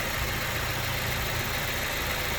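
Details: BMW E87 with N43B20 engine, 133,269 km, titled with a faulty timing chain tensioner and stretched chain; recorded outdoors under the hood, the engine idles smooth and even, with no ticking or chain rattle.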